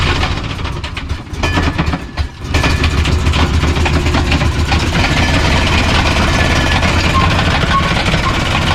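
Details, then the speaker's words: Ford F150 stock Triton 5.4 single-turbo, after running 14 psi boost at the drag strip: rough restart then heavy uneven knocking about three-four per second over idle, with smoke; suspected broken connecting rod or piston. "I think you broke a connecting rod, or you broke a piston. Definitely a connecting rod or a piston. The way it's smoking and the way it sounded."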